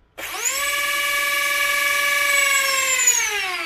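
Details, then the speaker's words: Brushless motor on a flying wing, propeller removed, powered by two 2S batteries in series as 4S via Y cable, 30A ESC: clean steady high whine climbing then holding, higher than on 3S; motor spins much faster, normal. "le moteur tourne bien plus haut, bien plus vite."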